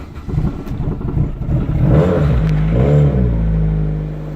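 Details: Infiniti 4-cylinder with its rusted-off muffler, odometer reading 82,000 miles (owner says it's inaccurate), no coolant and a failing alternator: loud, deep, raspy open exhaust swelling as it revs, then settling; engine idles smoothly.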